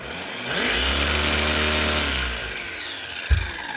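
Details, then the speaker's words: Makita DUR181 18V cordless strimmer that does nothing on trigger pull and needs a hand spin to start: thin motor whir at low, sagging speed that winds down, with no power to cut; motor fault, burnt commutator. "This thing, not starting. When you pull the trigger, it does nothing. But if you give it a wee spin, it will start."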